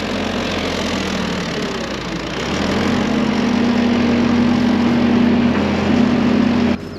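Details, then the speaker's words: Excavator diesel working on farm: steady drone changes tone as hydraulic load comes on, then the engine dies whenever the bucket moves; fuel gelling doubted, cause unconfirmed. "It was kind of like whining when I stick in, so bucket towards me. and everything else was fine, then it's continuously. Now you move the bucket at all, it's dying."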